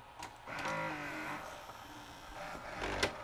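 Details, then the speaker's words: Sharp VC-H972 VHS VCR, bought new around 1996–97 and sat about 20 years, fails to complete a loading cycle: whirring loading motor with gear chatter and clicks labouring through its load; worm gear slipping on the loading motor shaft. "Oh, finished that time. Not quite. Maybe the loading motor is slipping."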